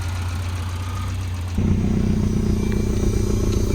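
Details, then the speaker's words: 1992 Volvo 940 wagon, first run, airbox off: steady low idle rising smoothly to a higher even speed. There is a slight misfire noted, but it runs well. "Actually, that sounds really good. Look at that. That runs really good. I'm impressed."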